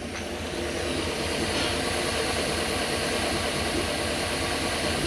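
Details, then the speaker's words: Toyota 1UZ V8 swapped into a Toyota Hilux Xtra cab, first run after the engine went back in, fuel pump trouble from sitting too long; steady even V8 churn, no knocks or misses: normal running. "it sounds like it's running what'd you find it's just on that fuel pump sitting for too long"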